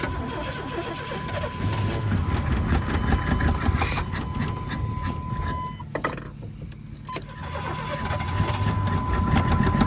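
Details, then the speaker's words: 1991 Chevy S10 revived after sitting on a farm, first start after new fuel pump: steady, uneven knock a bit over twice a second above the idle, hard to keep running. Owner suspects top end or fan contact; source unknown. "It's making that bad awful knocking noise. I don't know if we'll be able to drive it home or not. Not with that noise."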